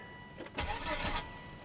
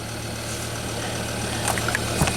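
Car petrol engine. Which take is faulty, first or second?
first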